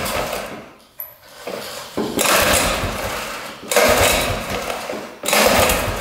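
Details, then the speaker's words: 1960s Ski Daddler snowmobile, two-stroke, gas poured into carburetor: raspy short ragged bursts that die back; runs only on hand-poured fuel, tank fuel not seen pumping, tank pickup line suspect. "didn't look like it was pumping any gas but she runs that was awesome"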